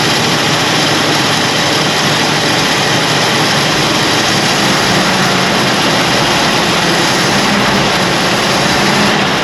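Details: 1965 Ford Galaxie 500 project car, newly revived: a steady, even V8 roar holds a constant speed with no knocks or misses. The engine sounds healthy and smooth.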